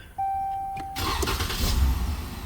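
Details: High-mileage 2013 Ram with intermittent no-crank no-start, after replacing key, ignition switch and SKIM/RF module and erasing codes: short chime, quick crank, engine catches and settles to a steady idle; starts normally now.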